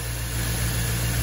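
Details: Jeep with late-90s/early-2000s LS Vortec engine, return-line vacuum-operated fuel pressure regulator, at idle with about 18 inHg vacuum and about 50 PSI fuel pressure: steady even idle, smooth low hum, no knocks or misses; healthy.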